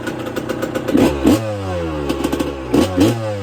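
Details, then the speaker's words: Yamaha YZ125 bored to 144, 1999/2002, first start after full restoration and carb rebuild kit, still cold: sharp crisp throttle blips from burbling idle, settling evenly; healthy two-stroke revving. "she's so loud under here oh the kids are shouting at me yes me she sounds naughty though and she ain't even hot"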